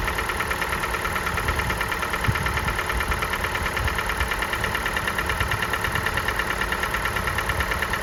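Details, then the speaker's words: Kia Sportage 4G 2017, G4NA engine, 265,500 km, cold idle just after start: a steady light knock of about three a second. Owner identifies it as piston knock heard only at the very beginning, gone once the engine runs more evenly. "Поршневой был в самом начале."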